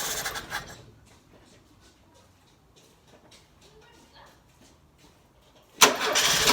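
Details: Carburetted petrol engine first start after sitting 6 months, carburetor burst used: short cranking burst, long quiet gap, then a sudden loud catch as it fires; hard start.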